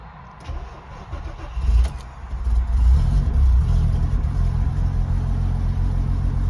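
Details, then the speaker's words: MK5 Golf R32 Turbo VR6, first start after fitting a new fuel pump in a used sender to cure fuel starvation: short crank, clean catch, steady even low idle, no stumble; new pump quieter than the old whining one. "okay so she's running I'm going to let it idle for 10 to 15 minutes and fingers crossed there shouldn't be any issues"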